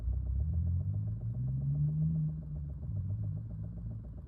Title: 2020 Chevy Bolt Rapid Clicking Sound